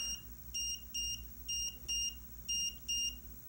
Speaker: anytime that you don't have video, that's what you're gonna hear. You're gonna hear this alarm for the next hour or 2 hours, and then it will shut off automatically.